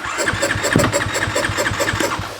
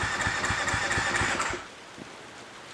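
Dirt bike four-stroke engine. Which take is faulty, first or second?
second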